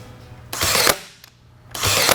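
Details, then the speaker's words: Cheap 1-star Amazon nail gun firing nails, mic held close to the mechanism: two long harsh buzzing strokes, each ending in a hard snap, with strong kickback; loud harsh firing click, far worse than a $107 comparison nailer. "it like shoots back it's worse than like actually hammering it by hand that click there is like compounded by like fivefold"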